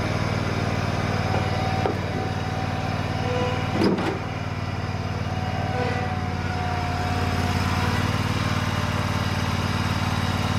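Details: Bobcat Predator Pro zero-turn, Generac engine, repaired for bogging in tall grass, freshly sharpened and balanced blades, cutting grass: strong even drone with no sagging or stumbling; couldn't make it bog down, considered fixed.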